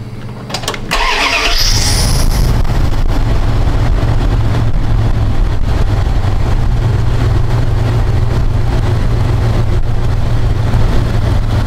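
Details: Square-body Dodge Ram after a no-start repair, PCM powered through a fused jumper in place of the missing white fusible link (20 A max draw): starter whirs briefly and the engine catches cleanly into a steady, even low rumble.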